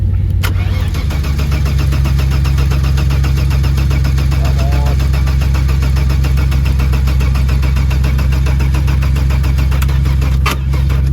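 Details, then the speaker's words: Saab 900 V6 on a farm, fuel pressure present but fuel smelling possibly stale: steady rhythmic starter churning about three beats a second for over ten seconds with no firing; extended cranking, no start. "Might give the starter motor a rest. I think it's getting tired, so alright, I'll have a beer, we'll get back into it."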